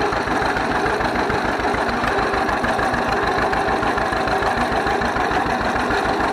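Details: 1931 John Deere GP two-cylinder tractor running again after its carburetor was torn down and repaired: a slow, even putt-putt idle at roughly three beats a second, steady and healthy, smoking a little.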